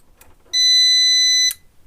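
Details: Intex UPS after repair of a continuous-beeping fault: a single clean high beep of about one second at switch-on, then quiet; the UPS powers up normally.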